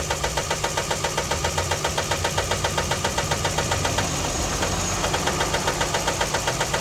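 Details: Steady, sharp knocking at idle, about four knocks a second, which then fades out, with the throttle tapped slightly; suspected rod knock, cause unknown.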